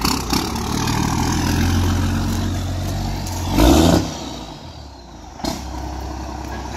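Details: 12-valve Cummins dually with new OEM fuel pump, mileage 235: deep diesel rumble swells into a short loud rev, then fades as the truck drives away cleanly. Normal diesel drive-away.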